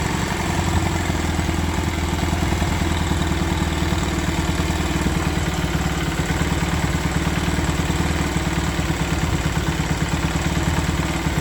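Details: Honda Sonic 125 that would not start, with new carburettor: fuel line replaced and fuel filter added, now it starts, part left off to watch for flooding. Steady idle with even beat and light valve clatter, no stumbling; normal idle.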